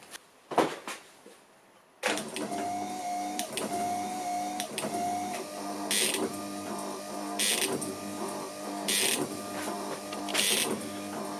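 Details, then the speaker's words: Ford Focus Mk2 wiper motor fitted to a Gilbern classic car, wired on the slow/medium speed: steady motor hum with buzzy vibration and a sharp hissing click about every 1.5 s while parking; the vibrating noise persists but the wipers eventually stop. "okay so we do still have that vibrating noise ah but natural fact it did actually stop in the end"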